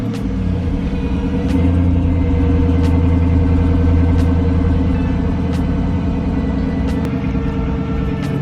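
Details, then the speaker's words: 2007 Chrysler 300C 5.7 Hemi at idle before alternator replacement: a steady whine holds pitch with the engine note, with the battery light on and voltage dropping to about 10.9 V. Failing alternator whine. "know if you hear it but the car is making a whining noise which whenever that noise started my battery light did turn on"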